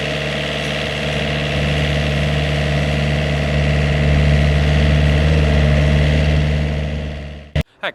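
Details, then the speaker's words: Vineyard post driver planting poles, engine held at fairly high revs while the pneumatic hammer strikes hard, about three to four heavy, even blows per second; very loud but working normally. "Ovviamente la macchina, come potete sentire, è bella bella rumorosa quando va a picchiare molto forte, per cui un po' il rumore del motore, che deve stare abbastanza su di giri, un po' questo rumore molto forte del martello pneumatico"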